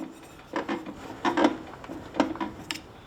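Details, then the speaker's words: Hayter Harrier walk-behind mower, flywheel turned by hand after nut tightened: slow, uneven soft rasping scrapes from the clutch underneath dragging, normal, nothing wrong. "that noise is the clutch underneath so that's all that back on"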